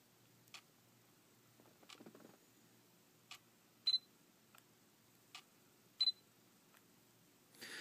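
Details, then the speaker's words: Sony SEL35F18 lens on a NEX-7, camera switched on and off: quiet clicks and beeps plus a brief rough scraping grind from the aperture, far louder than the normal OSS noise. "so I mean it's normal to hear the OSS working like here I'll get the microphone close to the camera it's kind of a constantly but this aperture noises incredibly loud"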